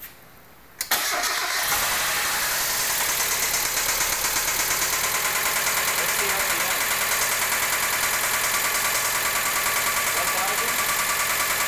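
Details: 1992 Mazda Miata with a ticking that started abruptly, no power loss. A rebuilt head with new lifters and cams made no change. Fast, fairly even ticking over a hissy idle; source unknown.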